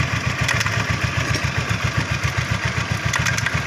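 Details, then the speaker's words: Honda Vario Techno carburetted scooter at low idle: faint, irregular light clicks over the engine beat from the CVT case; suspected loose or worn front pulley bushing, to be confirmed on teardown. "Saat putaran mesin rendah, akan terdengar suara seperti itu. Mengklik, mengklik, mengklik . Ada kemungkinan masalahnya terletak pada bagian bushing puli depan atau CVT, yang sudah longgar atau aus."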